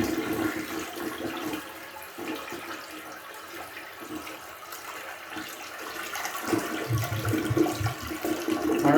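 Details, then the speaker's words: Toilet flush after augering toward a pumice stone stuck in the P-trap: a gurgling swirl drains sluggishly with no strong pull-through. It is much better but the stone is not out, a partial clog that can still be felt. "right, it's better. Much better, but not out. We can feel where that pumice stone was."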